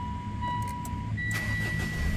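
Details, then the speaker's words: 2022 Mitsubishi Triton that was blacked out with no power and wouldn't start. The module reportedly tripped the system for safety, and pulling and reinstalling the fuse restored power. Dash chimes sound, then the engine catches and settles into a steady low rumble, starting and running normally. "So umi-start na kabayan."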